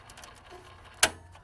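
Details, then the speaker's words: Intermatic pool timer clock motor behind the dial: quiet room, faint mechanism and one crisp tick as gears turn normally; no sound would mean a dead motor, though a second motor may also be heard. "is pretty much what it'll sound like if you get to a pool and the and there is no sound then typically you know this that means that this motor on the back side is not working"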